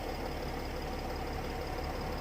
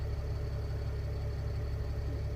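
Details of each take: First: Mercedes ML320 CDI W164 OM642 diesel, cold start with smoke, all six glow plugs already renewed, code 2270-4; uneven lumpy knocking idle settling slowly, suspected glow plug controller damaged by earlier shorted plugs. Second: Mercedes ML320 CDI W164 OM642 diesel, no fault codes; smooth even low idle with steady deep rumble, no knocks or misses, healthy.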